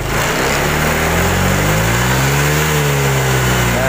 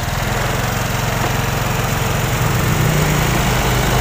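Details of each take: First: Honda Vario 125 fuel-injected scooter, throttle test watching rpm on scanner: revs up then go flat and sag near the top; bogging at high rpm, throttle position sensor suspected faulty. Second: Honda Vario 125 fuel-injected scooter after repair of bogging at high rpm: steady buzz, then revs climb and fall cleanly with no stumble; now running normally, healthy free revving.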